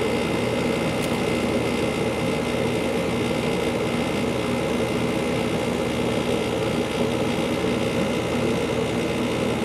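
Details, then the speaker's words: 2-ton through-wall General Electric garage AC, believed from 2002, just after startup: steady hum with rough buzzy texture; compressor rattles at first, quiets, then sometimes rattles again later; source not pinned down. "and usually have for a minute it quiets up and then sometimes goes and rattles again sometime later in another 15 20 seconds here it doesn't seem to have rattled again oh there he goes I spoke a little too soon"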